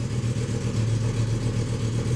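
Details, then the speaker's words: 2007 BMW M6 with V10, running rough after another shop replaced many parts including the computer, tank nearly empty: deep uneven stumbling idle with misfires on cylinders 1–5, a whole bank missing. "1 2 3 4 5 10 and that is where we are we're missing basically a bank"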